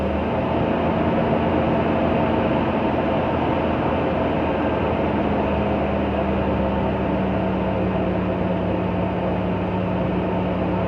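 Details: 2000 Toyota 4Runner, original 21-year-old muffler seam hole sealed with high-temperature epoxy putty, tested 24 hours later: even low exhaust drone at steady cold idle, no puffing or ticking from a leak; exhaust sealed.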